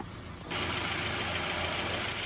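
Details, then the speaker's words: 2010 Subaru Forester 2.5X Premium AWD, 145,238 miles, drives and shifts well: even, steady idle with no knocks or misses under a layer of hiss; normal idle. "I've turned the car here just to get the other side in direct sunlight hear it running good nice looking car"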